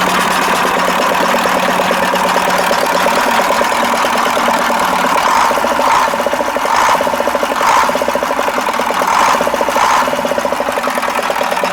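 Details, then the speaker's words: KAMAZ 65225 Euro-2 diesel truck after an engine-knock repair: smooth, regular idle with an even beat and no heavy knock; owner says it runs normally and the knock is gone. "а нормально работает вот три раза газовыми уже даже чтобы заглушить"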